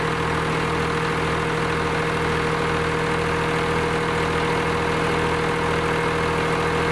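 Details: Lima 34 shovel, first start after many repairs: the old engine fires and settles into a steady, even idle with a low drone and no knocking or stumble.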